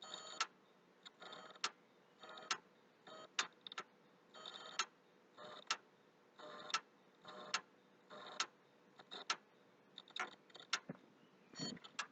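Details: PS3 console, hard drive already formatted, slow to boot, reinstalling: irregular bursts of sharp dry clicks over a quiet hum, a few every second, near the HD; the drive is clicking, cause unknown.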